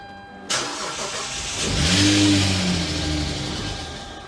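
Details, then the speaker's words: Engine on a wrecked auction car, just fitted with a new belt and belt tensioner, cranks a couple of times, catches and revs to a coarse, clattery tractor-like drone; nowhere near enough oil in the engine. "But if you're wondering why this thing sounds like a tractor, well, it's kind of a funny story actually. There's no oil in the engine."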